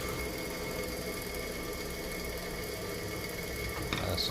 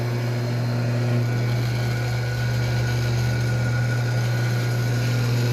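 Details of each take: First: Weber 2 hp (2CV) electric motor, bench-tested before opening: steady hum and whine over a dry, gritty rasp ("barulho seco") from bearings lacking grease; cleaned and lubricated. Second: Weber single-phase 2 hp electric motor on a normal outlet after disassembly, cleaning and lubrication to cure a dry strange noise: steady even hum, strong low drone, no rubbing or grinding, running normally.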